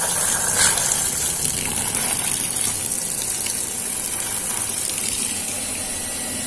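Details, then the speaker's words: Household water pump after repair for poor or no water output: steady hiss of water rushing through with the motor humming evenly underneath. The sound has changed and water is now coming out. Normal pumping. "suaranya jenis suaranya juga sudah beda ya ini terdengar air keluar"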